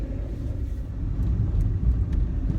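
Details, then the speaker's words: Peugeot 107 (same as Toyota Aygo/Citroen C1), after replacing the driver-side front wheel bearing that was noisy at speed: test drive with steady low road rumble, no rhythmic growl or hum rising with speed; the new bearing is quiet. "oh it's silent that Waring's gone"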